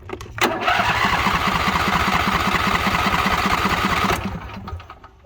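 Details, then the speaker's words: Riding mower, hard starting since new, choke cable misadjusted from the factory so the choke doesn't close: starter churns about four strokes per second for nearly four seconds without catching; long cranking, no start. "As you can see, it won't start. So what you can do is you just come over here with your left hand and you hold that up manually and then crank it and it'll fire right up."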